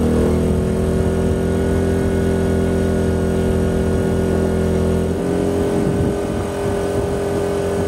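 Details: Diesel generator in a bus RV conversion, quieted, on external fuel, running under load beside the old variable-RPM inverter generator: two steady hums, pitch shifting as one settles; diesel barely loads up; normal running.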